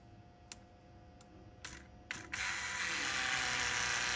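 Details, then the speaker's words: 1953 Mack A40 with a swapped 24-valve 5.9 Cummins from a school bus, lift pump powered via alligator clips to bleed the fuel system; a few sharp clicks, then a steady hiss as fuel flows; lift pump running and priming. "yeah it uh turns on for a half a second let's see if our sketchy alligator clips we'll do anything oh we have power oh there we go we got fuel there all over the floor"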